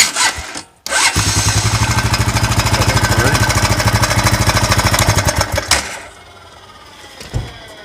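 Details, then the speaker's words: 2001 Honda Foreman 450S ATV: engine runs a few seconds with even beat, shuts off in neutral and a faint fading whir lingers; owner suspects clutch spooling down, as it's absent when shut off in gear. "maybe the clutch spooling down because when I put it in gear and turn it off when it's in gear it will not make that sound"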